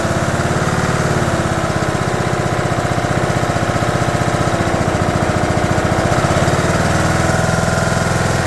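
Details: 2011 John Deere D110 mower, engine reassembled from boxed parts, restarted off choke, throttle cable not hooked up, expected to smoke: steady even single-cylinder thump at constant speed, no misses, knocks or surging; runs good.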